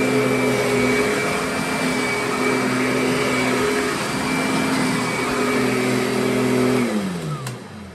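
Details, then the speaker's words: Curbside-rescued Kirby Sentria vacuum: steady high motor whine at even pitch, then a smooth falling spin-down at switch-off; motor healthy, runs and cleans fine though some other parts are broken. "So, I mean, it sounds good, runs good, and performs as a vacuum just fine."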